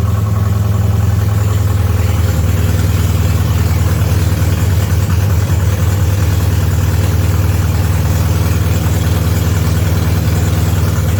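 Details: BMW 316i E46 four-cylinder petrol, restarted after four years, after new clutch and flywheel and engine refitted: steady even low rumble with no misses, knocks or rattles; idling smoothly.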